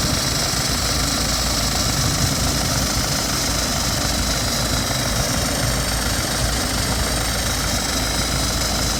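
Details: 2012 BMW 320d F30 diesel idling on a cold start with a constant, level, tinny plate-like rattle over the usual clatter. Source unknown; the owner is asking what it could be.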